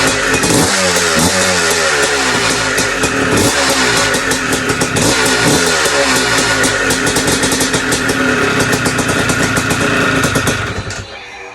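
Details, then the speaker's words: Bike just restarted after top-end rebuild with new gasket, idle slightly raised: uneven, busy clatter at a few beats a second over the idle, compression more audible; top-end rattle found to be heavy vibration. "I don't like how much it's rattling up there but you can definitely hear the compression a little more with that gasket"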